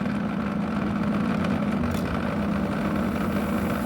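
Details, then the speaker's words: Hens-brand portable air conditioner found discarded in the street, which keeps shutting off, compressor starting on its own after a delay: a steady, loud, droning hum with a rattly buzz; loud compressor noise. "Ahí arranca el compresor, solito arrancó. empieza a hacer un ruido bastante molesto."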